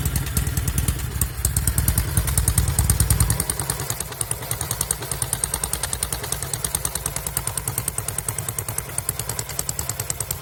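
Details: 1974 Norton Commando 850 idling on un-muted silencers with tighter header clamp seal: loud open-pipe twin thump broken by occasional skipped beats, intermittent misfire from the left cylinder, which also smokes.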